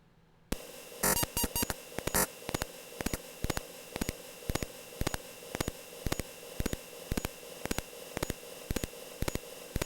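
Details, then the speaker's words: Atari 8-bit disk drive saving about 7.6K graphic under DOS I without burst mode: crisp short beeps about two per second, one per sector, 62 sectors written; slow, normal save. "so you'll hear 62 individual little beeps as it writes out the data"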